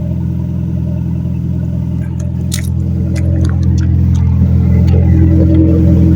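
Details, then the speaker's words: Turbocharged B-series engine, first start after straight-pipe exhaust install, pipes still heating, known rear oil-feed leak: loud, raw, deep idle, steady and even with no puffing or ticking; exhaust leak-free, engine sounds healthy. "I got to fire this bitch up and see what it sounds like with exhaust on it."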